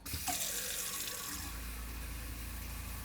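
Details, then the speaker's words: Gulfstream Conquest 6311 RV kitchen sink cold faucet on the 12-volt water pump, not on city water: water spits and splutters in uneven bursts, then settles into a hissing flow as the pump draws air from the low fresh water tank. "This tank is running low, so you have it sputtering."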